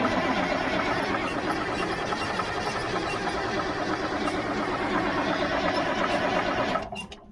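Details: 1977 Mack R model diesel truck, about 45 years old, cranked without ether, which had run out: a steady starter churn at about three beats a second that seems to catch briefly, then dies. The owner suspects low fuel pressure or sucking air.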